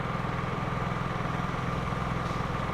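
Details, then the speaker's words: Honda EU3000is inverter generator with eco throttle on, running at reduced engine speed without full load. A steady low thrum with a quick regular beat and no misses or knocks: smooth, normal eco-throttle idle. "That's eco throttle on, and it reduces the speed of the engine there whenever you're not using it under a full load there."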